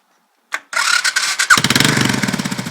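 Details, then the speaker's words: Suzuki 650 single-cylinder motorcycle, said to run well and keep up on the highway. A brief starter whir, then it catches immediately and settles into an even, steady idle thump: a healthy start. "Starts right up."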